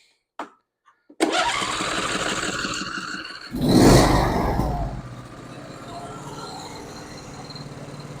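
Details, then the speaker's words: John Deere E140 garden tractor, 22 HP Briggs & Stratton twin, previously running on one cylinder from mouse damage, after repair: quick crank catches, revs, settles to a steady even idle with both cylinders firing. "that sounds so much better just amazing what them doggone mice will do"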